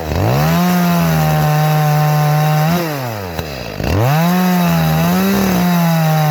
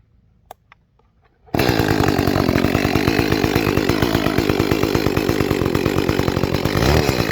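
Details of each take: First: Echo CS-310 chainsaw after primer bulb replacement and leaning the carburetor about a quarter turn: holds a clean steady high pitch in the cut, dips briefly and recovers evenly with no barking; running properly. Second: Echo CS-310 chainsaw after cracked purge bulb replacement, cutting cherry: screams at high revs then sags and burbles under load; sounds a little rich on high-speed jet, to be leaned with tuning screwdriver.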